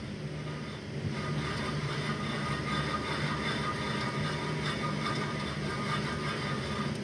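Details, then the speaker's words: Front right wheel bearing, hub spun by hand with the CV shaft removed: rough, steady grinding rumble with gritty rasp, confirming the worn bearing needing replacement. "with that noise that we have here uh i am 100 gonna be able to justify putting the wheel bearing on the front right side"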